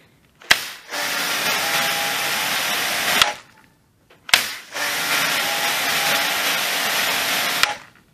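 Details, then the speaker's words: Kärcher pressure washer after its sticking valve was removed, cleaned, greased and refitted, run without housing: two runs of a few seconds with a steady, even motor and pump roar starting and stopping cleanly; washer operating normally. "Клапан я вчера почистил, помазал, поставил на место, отработал ровно."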